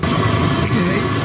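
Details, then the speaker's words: Four-year-old Chinese diesel heater after mainboard swap for a fault where it warmed up and then shut its pump off: steady combustion roar with blower whoosh, no stumbling, while warming; pump later stops, possibly faulty pump. "Okay, getting nice and warm. 3 digits. Pump still engaged. Fingers crossed."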